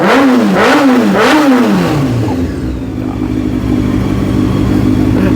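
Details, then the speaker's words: 2003 Honda CBR F4i after rebuild with rebuilt wiring harnesses and new fuel pump: three crisp revs then smooth steady idle, no knocks or misses; no check engine light; healthy engine. "right now oh God he's so nice yes sir yeah just imagine what a new exhaust would do her"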